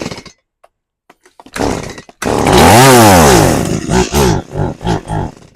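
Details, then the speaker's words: Stihl MS180C chainsaw, hard to keep running and dying when cutting on its side, with compression and spark present: it fires, revs briefly, then sputters in uneven bursts and dies even with feathered throttle; a faulty carburetor, fixed by a rebuild. "So, I can't get it to stay running and uh it'll just die off real quickly as I uh even if I try to feather the throttle."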